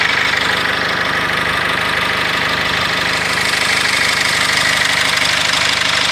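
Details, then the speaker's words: GAZelle Next with a Cummins diesel, knock starting at idle, with revving to test it; a regular knock about three times a second over the diesel idle, cause unknown. "О, начало стучать."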